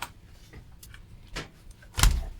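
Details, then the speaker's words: Musicson P-802 amplifier after output transistor replacement, powered through two 72 W bulb current limiter: faint scattered clicks about every half second, then fading; the thermistor-shorting relay chatters until supply capacitors charge. "that was the relay which shorts out the thermister down here that was rattling in actual fact."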